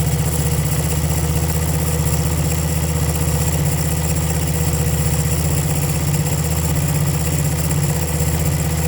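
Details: 1975 Honda CB125S small single idling with uneven stumbling beat, some firing pulses missing; ignition points suspected, new points ordered.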